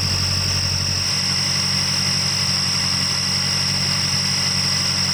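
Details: Car at warm-up idle under the hood: steady high-pitched whistle over smooth idle; first suspected alternator overrunning clutch or a roller, actually exhaust escaping past a leaking manifold flange gasket.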